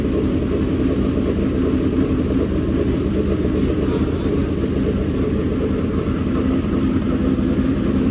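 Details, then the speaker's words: Freshly built dirt-track race V8 in break-in at a fast idle around 2000–2500 rpm: a steady, even drone with no knocks or ticks. It sounds good with no leaks seen yet. Normal running. "we'll let it run for a while she sounds good no leaks that I can see yet"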